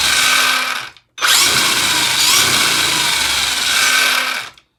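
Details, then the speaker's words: Axial Ryft RC crawler with a Holmes Hobbies 2100kv 540 XL Puller Pro brushless motor and a Castle ESC, BEC at 7.5V, on 3S, spinning up: a high steady whine drops out briefly, then runs again, the typical Castle whine. Normal brushless ESC whine. "Definitely going to have the Castle whine to it for sure. But, wow. Let's get this thing outside. With this setup in here, we're going to hear that Castle whine, of course."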